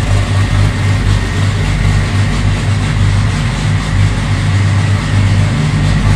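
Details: Freshly assembled ~500 hp 2.3, first run on a mix of 87 and Q16 fuel, good oil pressure: deep, steady idle with an even low rumble and no ticking or knocking; normal idle, only a coolant fitting leak noted.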